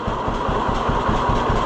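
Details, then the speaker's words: 1948 John Deere B two-cylinder tractor after Wico X magneto repair: slow even putt-putt about four beats a second, idling lower than before with no misses; previously fired on one cylinder. "It's not missing. Like it would always like if you did this, you could tell that it would only fire on one for a little bit."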